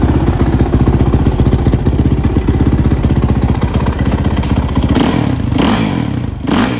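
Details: Suzuki RMZ450 single-cylinder, first start after major head rebuild (old head dropped a valve): uneven thumping, revs surging and sagging erratically instead of holding steady; head glowed red hot within seconds, owner suspects a lean condition.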